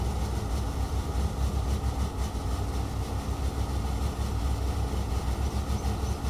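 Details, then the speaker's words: Revived junkyard Chevy started with a booster pack: steady low rumble with busy clattery rattle, running rough; owner suspects timing, PCM, oil filter and fuel filter issues, unconfirmed. "well there you go she runs kind of yeah i think there's a lot of boost leaves timing issues and pdm issues oil filter fuel filter issues but yeah it runs yeah listen to it just clattering away"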